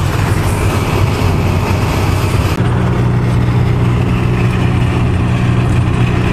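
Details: Winnebago LeSharo, a Renault-based van, at highway cruise after taping the front lip of the opening window flange that was catching air and resonating: steady road and engine drone with no whistle or rushing air; the cabin is quiet.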